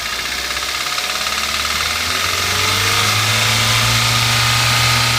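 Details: Toyota 1SZ-FE contract engine from Japan with 32,000 km, which began knocking 1,200 km after installation: a sharp, even knock of about four per second over the idle that rises with revs. A seized piston pin lets the skirt slap the cylinder.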